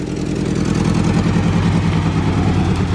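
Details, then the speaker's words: Honda CRV petrol engine running unevenly with irregular low chuffing; throwing misfire codes on every cylinder. "they said it was throwing codes for misfiring on every cylinder so they dropped it off here"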